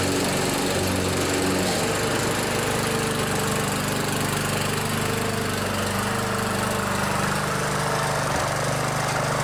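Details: Older MTD-built Montgomery Ward riding mower after welding the worn blade-engagement safety-switch bracket that caused a no-start: the single-cylinder engine runs with a steady, even, unbroken drone and no misses or knocks; normal running.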